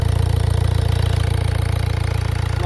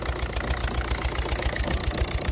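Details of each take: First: 1.6 HDi diesel after the loose, leaking injector was retightened: a steady, even idle with a rapid low pulse and smooth rhythm, no misses or knocks. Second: 1.6 HDi diesel with blue smoke and unstable idle: sharp rhythmic chuffing tick about six per second with hissing at idle; a loose injector with leaking seal is leaking combustion gas, injectors to be removed and seals replaced.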